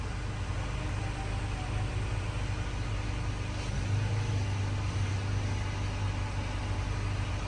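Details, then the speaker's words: Rebuilt wrecked 3rd-gen Toyota Tacoma (auction truck) on first start after repairs, idling while coolant circulates, given a light rev: steady, even low hum that swells and settles back; sounds solid and healthy, normal idle. "um yeah man maybe give her a little Rev sounds solid"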